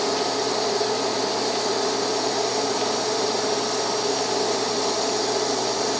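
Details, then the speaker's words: Beginner's first TIG lap joint on cold rolled steel coupons, current raised from about 100 amps to 110: steady, even hiss with faint constant buzz, no popping or sputter. Stable arc, bead better than at low current, a little hot. "Okay, that was better. So, not horrible. That's a little hot."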